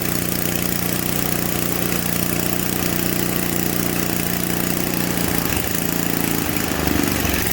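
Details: Simplicity 560 snowblower small single-cylinder engine, fresh gas added during a tune-up, in cold weather: steady, even putter with a slight wobble toward the end, a small hiccup at idle; otherwise running fine.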